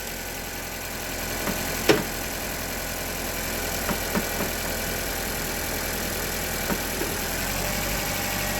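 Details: Honda Civic idling after a locked-up AC compressor was replaced, before refrigerant charge: steady, even idle hum with a few light clicks; engine runs normally.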